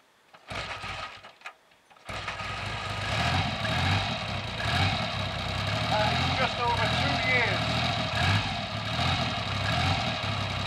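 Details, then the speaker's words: Triumph Trident T150V triple, first start in over two years, carburetors previously drained: a couple of catches then fires and settles into steady even idle; normal idle. "i promise no tricks there that is exactly what i got after over two years and it's standing idle"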